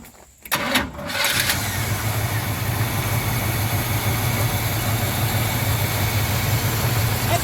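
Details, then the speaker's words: 1971 El Camino, 402 big block, new 650 double-pumper carb, new plugs and wires, used points, cold start without touching the gas: brief crank, catches at once, settles to a steady even idle slightly on choke; no more blue smoke. "pretty good. I'd say slightly on the choke. Fires right up. She runs good"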